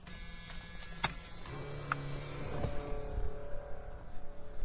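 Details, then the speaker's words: 1982 Ford Mustang GT Foxbody at first key-on outside after revival, relays reinstalled, key to run: faint steady electric whine under clicks as the fuel pump primes, and a leaking fuel union is found; fuel pump priming at key-on. "I hear the pump and but we got a leak already this is why we didn't want to start it right away"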